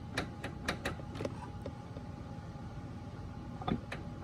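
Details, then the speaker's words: Harbor Freight US General 44-inch tool box drawer being lifted. Its slide rail isn't fastened to the drawer and flops around, giving scattered, irregular light clicks and ticks. The fix is adding rivets to secure the slide, after which it is tight. "you can see this one flopping around this entire rail that's supposed to be attached to the drawer it's just loose"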